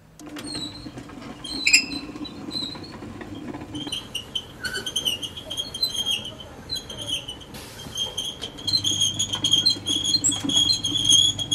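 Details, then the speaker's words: Dry, unlubricated wheel axle bearing squeaking: high chirpy squeals about twice a second as the wheel turns, wearing axle and bearing parts faster; quiet after spraying 3M multipurpose spray lubricant. "เสียงเารนั้นนอกจากจะน่ารำคาญแล้วเนี่ยมันจะทำให้ชิ้นส่วนของล้อของเพลาของลูกปืนนั้นสึกหล้อเร็วกว่าปกตินะครับเพราะว่ามันเสียดสีโดยที่ไม่มีการหล่อลื่นนะครับ"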